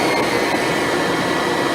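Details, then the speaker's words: Kirby Ultimate G Diamond Edition vacuum, top switch pushed down to reduced power for surface rugs: steady even motor roar with constant airy whine, no surging or rattle. Normal motor run on low power setting. "We push it down, it tones down the power for cleaning on surface rugs."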